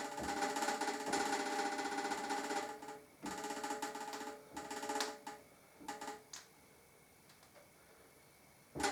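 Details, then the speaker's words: Harley-Davidson Deuce trike conversion, grease gun pumped into steering headstock while bars are waggled: short bursts of rapid popping and crackling between strokes as grease pushes trapped air out of gaps in the head bearing; normal purging. "can actually hear the grease pushing air out. So where there was like maybe some gaps in the actual bearing, it's getting rid of it."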